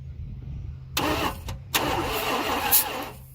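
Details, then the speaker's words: Dodge Ramcharger sitting about 16 years: two short starter bursts, no catch. Checked at the compression stroke, the distributor rotor points 180 degrees out because the distributor was reinstalled wrong, so it sparks on the wrong stroke. "Okay, let's see where that rotor is pointing. Haha, it's over here. It's 180 degrees out. How about that, huh?"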